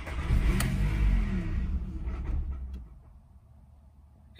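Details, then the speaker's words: 2002 VW Golf after its dead battery was recharged, immobilizer key light blinking. Cranks, catches and runs about two seconds, then dies; immobilizer cutting the engine. Fix: key left on about 10 minutes with the charger connected. "it starts to run and then it kills itself"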